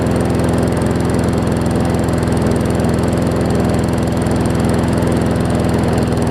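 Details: Newer Murray push mower just after new carb diaphragms: smooth, even but noticeably slow running below cutting speed; runs fine but slow, owner thinks the throttle spring (a bit too long) needs sorting.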